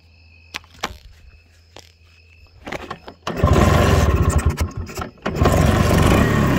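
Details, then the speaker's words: Bajaj Chetak two-stroke scooter at night on a forest road: several sputtering kick attempts, then it catches and runs rough and uneven; it stalls soon after starting, traced to a blocked carburetor jet to be cleared with a thin wire or stick. "ನೋಡಿ ಇದು block ಆಗಿದೆ. Jet block ಆಗಿದೆ. So ಆ ಬ್ಲಾಕ್ನ ತೆಗಿಬೇಕು."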